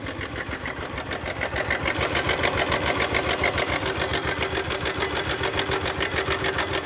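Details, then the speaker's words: Bajaj Pulsar 150cc at idle: rhythmic sewing-machine-like clatter about three and a half beats per second, reportedly louder when riding; owner doesn't know the source, earlier repair work didn't fix it; cause unclear. "Exact कि मुझे नहीं पता यार यह किस चीज की आवाज है और इतनी ज्यादा आवाज आती है इतना ज्यादा दिमाग खराब होता है अपना बता नहीं सकता"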